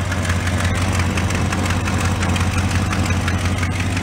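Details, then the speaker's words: 1967 Plymouth convertible V8 just out of storage, started on choke after exhaust manifold work. Steady idle with a quick tick of nearly three per second. Exhaust manifold leak is worse than before, in the middle; no gasket visibly sticking out. "Sounds like exhaust still leaking. Yeah. It's worse than what it was before."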